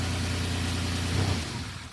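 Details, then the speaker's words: 1997 Lamborghini Diablo VT Roadster with starting/running issues, after adding better ground connections: starts and holds smooth even low idle, then shut off cleanly; now starts well. "Yeah, so now it starts up really good now. So we got some really nice grounds on here."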